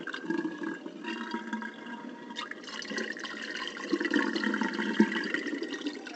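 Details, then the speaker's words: Sears Kenmore dishwasher after a clogged drain tube was cleaned, cancel pressed to drain: steady rush and gurgle of water, no pump grinding or rattle; draining normally, fixed. "we're going to press cancel to get the drainage working and we should see water shootout or noises of the water right there looking good"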